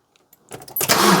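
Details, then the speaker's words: Fiat Doblo van that broke down on the M25: starter spins the engine fast and light with no compression beats at all. The timing chain has snapped and the cams are not turning. The engine is judged beyond economical repair. "If it was the timing chain that's just gone bang, would it literally just snap? I don't know. No, just spin her over, please. It's probably It doesn't sound right anyway."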